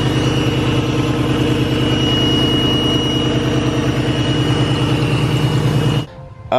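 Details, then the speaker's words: Terminator Cobra: steady high whistle over an even idle from the front of the engine; a shop later traced it to a vacuum leak, which pressure-testing the vacuum lines at about 30 psi had missed. "he did the exact same diagnosis that I tried to do except he figured out what the problem was it actually was a vacuum leak like you guys have been trying to tell me"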